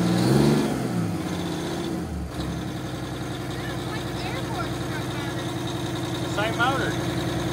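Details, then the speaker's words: 1989 Grand Villa with two-stroke Detroit diesel, first start after sitting, short rev dropping to steady even idle with no knocks or misses, one battery dead, charging coming up; normal running, not loud inside. "that thing sounds good I think it's really not that loud in here with it running"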